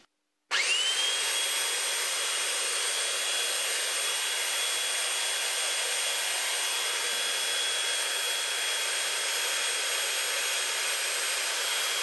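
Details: Flea-market Holtshair hand belt sander fitted with a new belt: motor spins up instantly to a steady high whir with constant pitch and even hiss, no rattle or slipping; runs fine.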